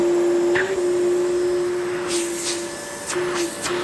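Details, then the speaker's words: Well-used upright cyclonic vacuum that no longer locks upright: steady high motor whine that dips and wavers with irregular popping; motor popping with barely any suction, dusty filter, judged not worth repairing. "The suction might be fine, but can you hear the motor popping?"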